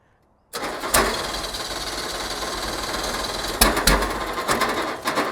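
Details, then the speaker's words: Ford Pinto wagon after ignition timing was moved and became way advanced: spins over fast and light with a steady whir, no firing, ran backwards; cranks but won't start. "Yo, that ran backwards. Yeah. It cranked and then it spun the wrong direction."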